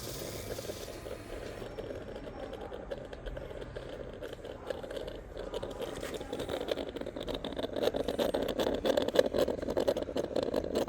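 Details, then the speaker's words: Kawasaki ZX-10RR just fitted with a new 12 V YTZ10S-spec battery, key on: uneven buzzing rattle grows louder for several seconds as the exhaust valve servo struggles and jams instead of cycling smoothly. "Body ಏನೋ issue ಇದೆ, jam ಆಗ್ತಾಯಿದೆ servo body."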